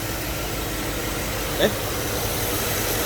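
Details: 2008 GMC Yukon 5.3 V8 after repair: burned wire bypass in injector fuse circuit replaced with proper fuse, restoring injector power and fixing misfires; even steady idle hum, no stumble or skipping, one brief click, running smoothly.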